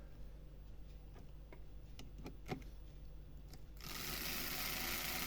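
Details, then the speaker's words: Used Lima BR218 model train motor, close-up, before service: dry ticking, then a loud, rough buzzing whir; runs but far too noisy; flash or burrs on the molded gears can cause such noise. "There we are, if you can hear that. So it's quite noisy"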